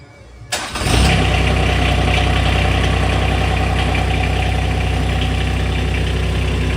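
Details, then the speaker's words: TYM T224 tractor diesel, first start after 50-hour service at 52.9 hours with fluids refilled: quick crank, catches at once and settles to a steady, even idle with no knocks or misses; healthy start. "Sounds like she fired right up like she was supposed to, so I'm gonna call it good."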